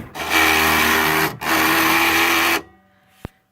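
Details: Barely used Cricut Explore Air cutting machine: two loud, harsh grinding bursts as its carriage runs, then a single click.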